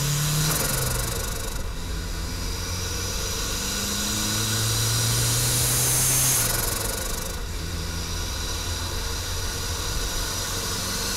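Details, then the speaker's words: Budget turbo Mazda Miata with an eBay HKS-copy blow-off valve, vacuum line disconnected, pulling through the gears: loud airy whoosh under boost because boost no longer holds the valve shut. "by disconnecting the vacuum line your blowoff valve won't open when you let off throttle when it's under severe vacuum but you also don't have the benefit of the boost holding the blow-"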